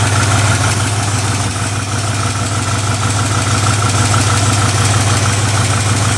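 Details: 1969 Ford F100, believed 302 V8, C4 automatic, idling: loud, raspy, steady idle thumping about three times a second with a sharp open-pipe bark; exhaust leak, passenger-side pipe cut or rusted off, mufflers need replacing.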